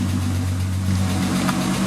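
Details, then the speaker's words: Mk4 VR6 (Jetta/Golf/GTI) after power steering pump replacement and refilling fluid, original pressure line kept: steady low even hum, and the new pump makes no groan or whine; normal running with a quiet power steering pump. "okay so I added fluid and makes no noise feels a lot nicer I mean it's up in the air but so far so good just listen to it run"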